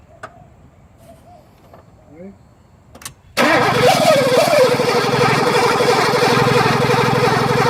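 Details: 1983 Mercedes 380SL cranks but won't start: the starter spins the engine evenly at about three turns a second without catching. It runs only momentarily on ether.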